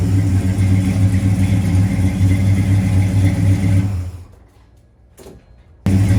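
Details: 1970 Plymouth Road Runner, freshly rebuilt 383 V8, first run in the car after a new temperature gauge, upper hose, oil-pressure-line leak fix and fan switch: deep steady rumble that drops away and picks straight back up, no knocks; normal running.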